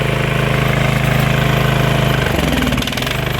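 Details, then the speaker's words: Briggs & Stratton Vanguard twin after carburetor work and restoring 12 volts to the carburetor fuel solenoid. Steady, even idle with firm regular pulses and no misses. Normal idle, though the idle speed needs lowering. "Idle has to come down. Nice running engine. Not too slow. Wow, this is a really nice running engine."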